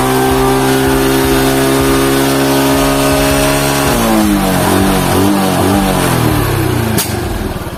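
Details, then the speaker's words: Motorcycle after carburetor disassembly and reassembly for hesitation on initial throttle and at high rpm: clean idle climbing smoothly as throttle opens, no stumble or popping; normal revving. "Nah kita coba diperhatikannya kita di RPM bawah ini udah normal ini udah langsung udah normal ya"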